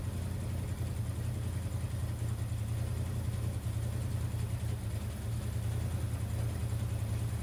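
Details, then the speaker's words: 1979 Ford F150 V8 with a freshly rebuilt, previously overflowing carburetor, at idle: uneven, loping rough idle like a cylinder intermittently dropping out; owner suspects coils not fully seated, not confirmed. "it's also weird it seems like I'm having a like ignition issue like a misfire I don't know if maybe one of these coils or couple of these coils aren't plugged fully on but I'll uh address one thing at a time go ahead"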